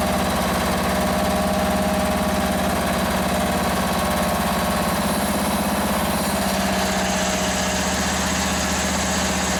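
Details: Free Toro ride-on mower, small single-cylinder engine, started after fuel was raised above the carburettor to fill the float bowl; still needs a battery: steady, even chugging idle with no hunting, surging or knock; normal idle.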